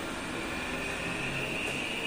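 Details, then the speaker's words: Electric treadmill running: steady high whine with rough hiss over constant hum, compared with an identical unit; suspected worn roller or motor bearings, not confirmed. "ruido entonces puede ser desde los rodamientos del motor o los rodamientos de esto rodin"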